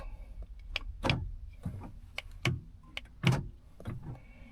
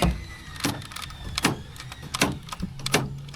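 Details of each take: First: 2010 Honda Odyssey door lock actuator, lock pressed with the door closed: quiet short whirring clunks with each press but no solid latch thunk; it tries but does not move. The failing actuator also re-cycles the locks at every stop. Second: 2010 Honda Odyssey door lock actuator just replaced after locks cycled on their own at every stop and restart; four crisp, quick lock/unlock clunks about every three-quarters of a second, normal door lock operation.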